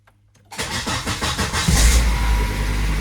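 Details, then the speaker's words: 2002 Volvo XC70 2.4 turbo after replacing cam sensor aperture ring and housing and clearing codes: short crank, catches within about a second and settles to a steady idle; long-crank problem fixed, nothing odd from the sensor end. "Wow, that's so much easier. Wow, that was quick. Now it sounds good. Nothing weird from the sensor end."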